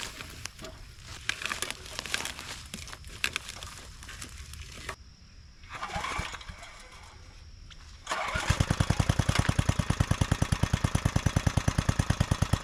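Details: Neglected John Deere three-horsepower tiller being revived: after some handling the little single fires up and settles into a steady, even putter with no knocks or misses; runs healthy.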